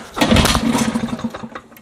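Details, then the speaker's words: 1960s Mercury 3.9 outboard, stored two years, new impeller, starting on choke and primer: catches with a ragged burst, stumbles about a second, then dies; won't idle. "see Nemesis right here she just doesn't want to continue looks like I got lucky on the first shot because clearly she doesn't want to continue"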